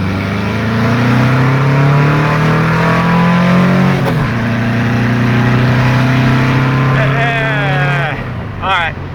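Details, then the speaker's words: Engine on 44 IDF carburetors, 118 mains and 185 air correctors, after float adjustment, on road pull: pulls hard at full throttle then goes flat around 4500–5000 rpm; lean flat spot, plan to increase mains. "she's a little flat she's totally flat up at the uh around five thousand forty five to five thousand she's flat"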